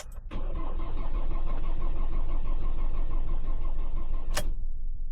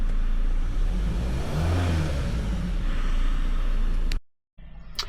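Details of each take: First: 2016 Ford Transit minibus, 2.2 diesel, broke down running rough and cutting out, low fuel pressure codes, battery getting low: steady cranking about three beats a second for four seconds, never catching; no start from failed in-tank fuel pump. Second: 2016 Ford Transit minibus, 2.2 diesel, after replacing a failed in-tank fuel pump: steady, even low diesel drone with smooth rhythm, no stumbles or cutting out; fuel pressures now agree and it runs healthy.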